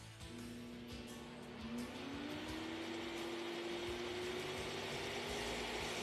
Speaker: you can also change speeds with this button by pressing it and holding it for a brief second or two so we'll turn it on then i'll change the speed and you'll hear the sound of the motor change